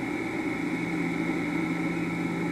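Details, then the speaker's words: Vintage electric motor with start capacitor and potential relay, rated 220 V but run on 120 V, drawing 0.7 A: steady motor hum with a fixed mid tone, higher whine and faint rough hiss; worn, tired motor bearings. "sound like they're a little tired."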